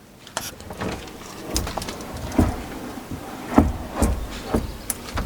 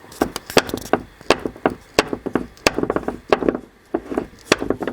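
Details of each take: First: Opel Astra H door after fitting a new GM door check strap: only a few soft clicks and light thuds as the door swings and latches, with no crunching or creak; the old strap creaked harshly, and the new one works perfectly. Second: Opel Astra H passenger door, worn check strap recorded with the mic held close: irregular dry creaks and crunchy clicks, several per second as the door moves; owner says the cap rubs in the housing and creaks worse once warmed up.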